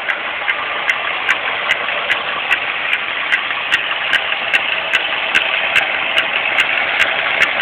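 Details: 2001 Grand Am GT running: sharp, evenly spaced clicks about two and a half per second over a light idle, constant the whole time whenever the car runs. Constant ticking of unknown cause.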